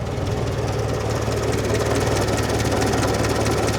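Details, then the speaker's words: Modified UAZ 469 revived after long sitting, timing only roughly set, choke not fully pulled: started first try into low, even idle thrum, steady beat, no knocks or misses, surprisingly smooth and quiet; normal idle. "wow I do not expect that barely making any noise so for how rough these engines are made they are running surprisingly smooth and pretty quiet"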